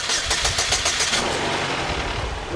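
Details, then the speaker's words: Chevrolet HHR or Cobalt (2004-2011) engine started after replacing transmission housing sensors for P0700 and P1818 and refilling drained fluid: brief crank, catches and settles to an even steady idle, no knocks or misses; normal start. "Sounds good, huh? But that's the engine though."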